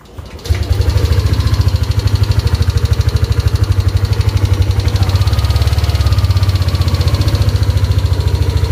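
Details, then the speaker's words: Yamaha Aerox scooter with MIL light constantly on, starting and idling lumpy and unstable but seeming fine when revved; caused by a broken or worn engine temperature sensor wire near the radiator giving false temperature readings. "Seperti itu, dia berbet. Tapi kalau diputar gasnya, seakan-akan dia aman."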